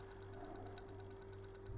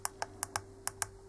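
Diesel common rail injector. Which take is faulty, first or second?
first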